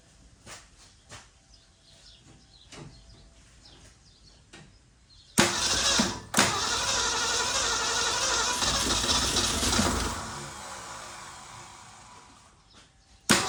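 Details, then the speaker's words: 1963 Ford Fairlane 500 with claimed 41,000 miles, first start after long storage: clicks, then cranks, catches and roars about five seconds before fading, uneven and rough; rough running on first start. "Well, she runs. Sounds like crap, but she runs and woo-wee."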